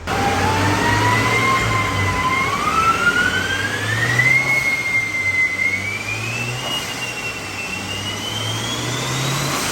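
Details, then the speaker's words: Stock-engine Mazda B8 180 (claimed 180HP) on a Dynocom dyno with retarder, boost meter fitted, checking fuel ratio and horsepower at cruising and under boost; engine still quiet, smooth even run with clean whistle climbing as load builds, no knocking: normal under load. "Okay, kita start. Enjin dia pun senyap lagi. Enjin dia pun masih lagi senyap."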